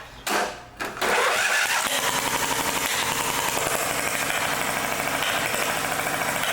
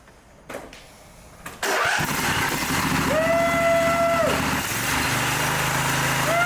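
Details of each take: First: Lawn mower engine after a head replacement following a mouse-nest buildup: a lopsided, uneven chuff with beats dropping out, like a hit-and-miss engine, because a push rod is still opening only the one valve. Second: Mower engine after replacing a head damaged by a mouse nest, freshly reassembled: catches after a couple of pulls and runs evenly on both cylinders, sounding healthy, though the muffler baffles rattle and leaked oil smokes as it burns off.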